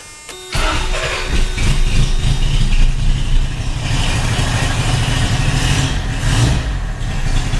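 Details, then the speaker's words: Junkyard 1980 Honda Accord newly fitted with Weber 32/36 electric-choke carburetor, no coolant, on temporary fuel line plug, first run since about 2008: lumpy, uneven low idle, may not be firing on all cylinders; owner suspects it needs spark plugs. "Doesn't quite sound like we got all the cylinders."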